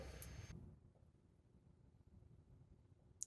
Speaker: there's a lot of ticking coming from that hard drive that we pulled out of the Dead uh Direct TV box I think that might have been the reason I threw it away it's uh resetting the head constantly which means it's having trouble reading and writing